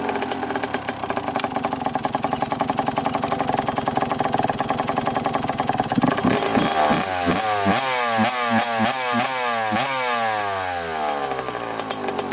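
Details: First kick start of freshly rebuilt 1991 (or 1990) Suzuki RM125 two-stroke with cleaned rebuilt carb: crackly burble for six seconds, then quick throttle blips climbing and dropping cleanly; fires evenly, responds well.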